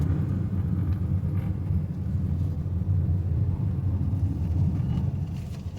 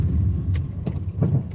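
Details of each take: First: Honda Amaze on the road after suspension and steering noise repair with new parts: steady low road rumble from inside, no knocks or clunks over breakers and potholes, front suspension now quiet. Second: Honda Amaze on the road: light knocks, about four in under two seconds, over low road rumble as the car brakes, from a badly worn suspension.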